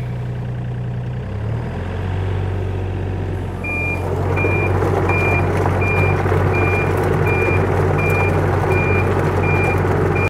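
Over a loud idling diesel, a high beep repeats evenly about once every 0.7 seconds: the travel alarm sounding in every direction.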